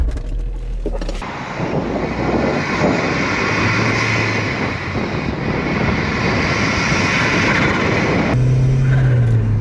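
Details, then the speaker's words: Vauxhall Zafira GSI with Z20LET turbo petrol engine, driven just after passing its first MOT in four years, accelerating gently without much boost: steady pull with airy intake rush from the air filter over road and wind noise, no knocks; healthy. "how cool a turbo car sounds especially this air filter i don't know if you can hear that but that sounds pretty awesome try not to give it too much boost yet"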